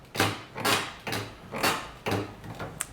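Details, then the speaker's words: Golf cart roof, after fitting studs to cut rattling: creaky squeaks in bursts about twice a second as the roof support bar is pulled by hand. Suspected dry or loose mount; rubber-mounting the bolts is planned. "I quieted down quite a bit, but I notice a lot of squeaking now, and I think the squeaking is coming from here."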